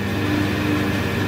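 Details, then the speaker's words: Schaublin 70/102 lathe spindle with roller front bearing, after adjusting axial play by machining the rear bearing cover: smooth, even motor hum from the drive unit in the fabricated steel cabinet, no rumble or ticking; spindle itself extremely quiet, normal running. "So here's the spindle running, and actually any noise that you can hear is actually coming from the fabricated steel cabinet, the drive unit in the bottom. It's just the noise of the motor. So the spindle is extremely quiet."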